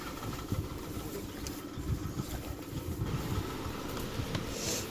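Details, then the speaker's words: 2002 Ford Explorer Limited V8, sat since 2016, long-standing low-power problem after earlier engine work, started on starter fluid: idle suddenly changes to a low uneven rumble with irregular thumps and no steady rhythm; running rough, cause not pinned down. "all right and then all of a sudden it changed did you hear the way it sounds different now"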